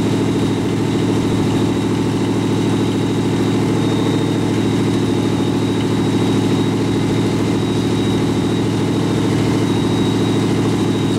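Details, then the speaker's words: Rat rod truck idling with a York AC compressor converted to a belt-driven air pump for an air-bag suspension, filling the tank, switch set near 100 psi; low idle drone, even pumping pulse about 160 per minute, faint whine, normal. "so I'm crank it up and just let it idle to show you how fast this builds up pressure"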